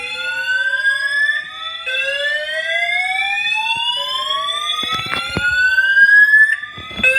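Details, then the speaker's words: Building fire alarm that woke the occupant in the morning, sounding its evacuation signal; rising electronic whoops sweep upward about every two seconds; the occupant doubts it is a real fire but evacuates. "Yeah. So, thanks to the alarm for waking me the [ __ ] up. Honestly, not one of my desired ways to start my day."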